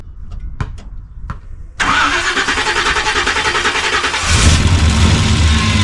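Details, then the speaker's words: 1976 Chevrolet C30 dually with a freshly swapped Gen 6 454 big-block and hydraulic roller cam, first start on residual fuel: a few clicks, then it catches into a fairly even, slightly lumpy idle; coolant and power steering leaks noted. "But she idles."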